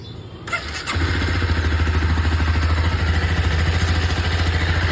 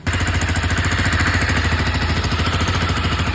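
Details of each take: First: Honda CBR250R single-cylinder motorcycle after repair: bend pipe removed and stock muffler rejoined properly to fix an odd exhaust noise; engine catches and settles into an even, steady putter with no rattles or exhaust-leak puffing. Normal idle. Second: Honda CBR250R at idle: fast, sharp puffing tick about three per second on the idle beat, an exhaust leak at the bend pipe-to-stock muffler joint; refitting and properly joining the bend pipe made it sound normal.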